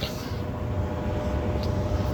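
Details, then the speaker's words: ICP/Carrier gas furnace after a blower motor replacement and a new control board: at power-up the blower runs a steady rumble for only about 10-12 seconds, a normal built-in start-up feature. "and right now this is that cold 12 and remember guys like I said this is only like a 10 to 12 second thing"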